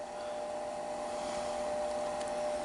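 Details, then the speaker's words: Furnace hot-water booster circulator pump (Bell & Gossett LR20BF), unoiled about five years, after adding oil: smooth even rush with faint steady tone, low-frequency humming drone gone; some humming reportedly remains. "huge huge difference immediately look at that wow fixed it"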